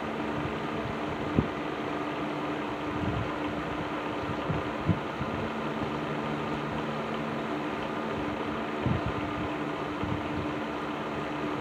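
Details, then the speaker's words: After servicing, Patton 12-inch box fan (black Patton-branded Fasco motor) on low speed in a window: soft steady hum, faint airy whoosh, occasional light tick or rattle at constant speed; rattle much improved, normal running. "So yeah, I think this fan is right where it needs to be now."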